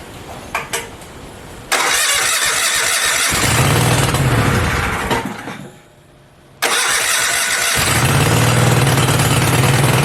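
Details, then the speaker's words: Goliath mini bike V-twin, a generator engine, on its first start after exhaust install, belt off and throttle set high, so it may idle high. Brief crank, then a strong even beat; it stops and restarts cleanly. Normal start and idle. "oh she sounds sweet you guys this thing is awesome"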